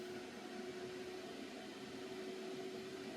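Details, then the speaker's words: Computer running CPU mining with hundreds of processes under heavy processor load, fan quiet mode switched off. A steady airy rush with a constant hum tone. Finding: cooling fan at high speed. "And then you can probably hear the fan, because I turn the fan. It's like a fan. It's a quiet mode. So basically I turn the quiet mode off."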